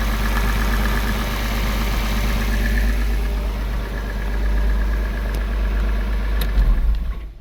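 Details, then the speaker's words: Porsche 986 Boxster flat-six after IMS bearing replacement and reassembly, no engine light: even, steady low rumble at idle with no knocks or stumbles, running smoother, a normal idle. "the engine runs much smoother and nicer"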